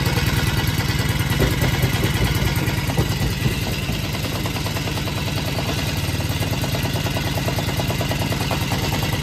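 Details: Green Farm four-stroke brush cutter that vibrated heavily on acceleration, after tightening the blade nut: it idles and runs steadily with an even low putter, blade intact and straight, no vibration.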